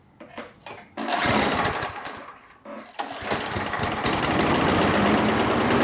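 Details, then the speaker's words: Lawnmower that sat all winter without winterizing, primed, topped up with oil and fresh gas: a couple of recoil pulls, then it catches and settles into a steady, even putter with no ether needed; normal start and run. "so we got really lucky with the lawnmower over there no ether no problems topped it off with some oil put some gas in and it fired right up"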